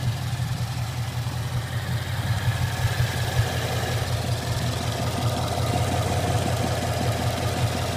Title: Knocking noise on my mustang gt